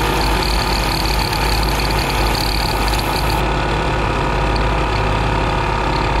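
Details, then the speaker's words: 15-year-old ARB CKMAT12 twin compressor on Jeep CJ during tire inflation to 36 psi: loud steady drone with gritty marble-like rattle, one pump blowing its fuse; worn piston bearing, rebuild kit 320303. "there's something wrong with this compressor that's the one where the fuse was blown at the end of my uh attempt it started to sound a little bit like a marble mixer or a coffee grinder"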